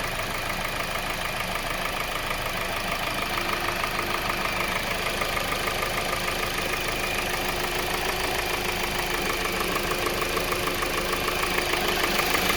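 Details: 2020 Kia Soul 2.0L at 20k miles, serviced every 5k: steady idle with a light, fairly even tapping about three knocks a second; piston slap blamed on faulty piston rings, which eventually led to complete engine failure.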